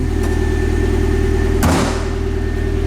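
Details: Mazda Miata after crankshaft welding, first start-up: even, steady low idle with a smooth beat about three or four times a second and no knock or miss; the engine idles healthily.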